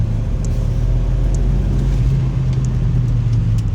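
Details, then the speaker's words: Volvo 940 Turbo with manual gearbox after fixing the turbo pressure pipe into the engine. Full throttle in third gear, pedal to the floor: deep, even roar with no stumble, misfire or surging. Healthy full-throttle acceleration. "yeah this car is running great it has never ran this good"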